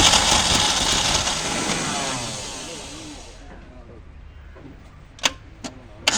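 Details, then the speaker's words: Maruti Gypsy carbureted engine, cold start after sitting a long time with petrol poured into the carburetor: the starter churns about three seconds, never catches, then clicks. Suspected carburetor idle valve needing replacement or cleaning. "ഇത് complaint കാർബറേറ്ററിന്റെ ideal വാൽവിന്റെ ആണ് just replace ചെയ്യോ അല്ലെങ്കിൽ അവിടെ ആ ഭാഗം ഫ്രിഞ്ചിൽ petrol നിറച്ച് clean ചെയ്യുകയോ ഒക്കെ ചെയ്താൽ സ്റ്റാർട്ട് ആകും"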